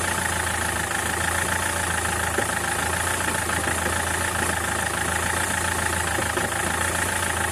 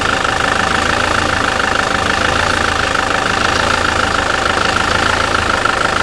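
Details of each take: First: SsangYong Kyron diesel at idle: an uneven, dull knocking riding under the clatter, steady throughout, from a worn dual-mass flywheel with excess play, due for replacement. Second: SsangYong Kyron diesel, 2007, about 200,000 km, after dual-mass flywheel and clutch replacement: steady, even idle with smooth clatter and no knock or rattle; runs quietly and healthy.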